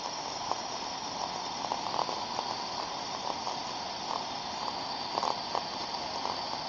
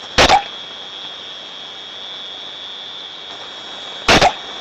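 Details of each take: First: Ultrasound recording of the first of three similar on/off steam traps: steady hiss of flow with soft periodic pops as the trap discharges and reseats, quiet between cycles; normal, healthy cycling steam trap operation. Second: Ultrasound recording (Ultraprobe 15000) of a thermodynamic on-off steam trap: two sharp hissing bursts about four seconds apart over a steady high whistle; the trap opens and closes far more often than it should.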